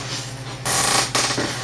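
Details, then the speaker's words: Rough grinding as an old Staples Burlston office chair rocks: two harsh, gritty bursts, scraping rather than smooth. The chair also now rocks sideways and is near breaking. Worn tilt mechanism suspected, not confirmed. "The chair has always been able to rock vertically. You can hear it sounds rough."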